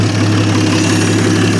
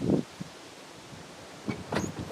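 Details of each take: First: 1950 Studebaker Champion revived after 40 years in a barn, on restart after a high cold-start idle; even steady low rumble with no misses, knocks or stumbles, no big leaks, no longer smoking; normal smooth idle. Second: 1950 Studebaker Champion engine, first start after 40 years sitting in a shed, running only on fuel poured into the carburetor with no fuel feed hooked up yet. Short cranking bursts, then it catches and roars, smoking a little from Marvel Mystery Oil squirted in.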